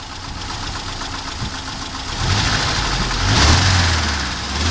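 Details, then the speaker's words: Mercedes W201 190E engine blipped from idle. An irregular metallic clatter rides on the rising revs; the owner asks about the engine knock, but the cause is not pinned down. "И какой-то звучок такой, как бы, ну, если слышно. Сейчас попробую газануть и послушаем дальше."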